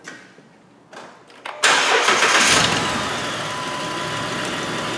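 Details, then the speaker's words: 2009 Jeep Wrangler 3.8L with P0204, after new plugs and wires: cranks and catches, then lumpy uneven idle with repeating skip; injector number four circuit found open, causing the misfire. "things skipping like a whatever skips this thing's skipping like crazy now ain't that some crap"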